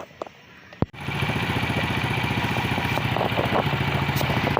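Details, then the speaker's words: Tosa motorcycle after cleaning clogged AIS air-injection line that trapped air and caused exhaust popping on closed throttle and downhill: small single settles to even putter, about four beats a second, no pops; normal idle. "Sekarang sudah ... berfungsi dengan baik. Izinkan saya menghidupkan mesinnya dulu."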